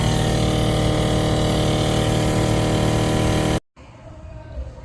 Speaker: when that vacuum pump that diaphragm right there goes out that is what's causing that noise basically pedal assist to help you when you're breaking